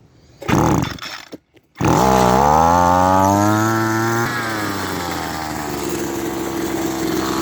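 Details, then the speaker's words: Echo SRM-200BE weed eater that runs poorly: engine catches, revs, then settles to an idle that stays noticeably high and buzzy; idle may be out of adjustment. Fast idle, cause not confirmed. "this is spinning now the idle does seem to be a bit fast but um I'm not sure it could be out of adjustment"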